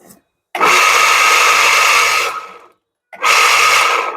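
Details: Water pump motor that was run fully submerged, checked with no current leakage and intact resistance, then run directly; two short runs of steady, even whir with high hum spinning up and cutting cleanly; a noise is noted but the motor is good.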